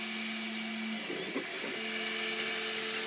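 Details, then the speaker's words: MakerBot Replicator 2 printing a honeycomb iPhone 5 case: steady stepper tones break into an irregular crunching, scraping stutter as the head overshoots and skips, losing alignment. It seems to be slipping. "You can hear it keeps getting crunch crunching on something a little bit like it's going too far."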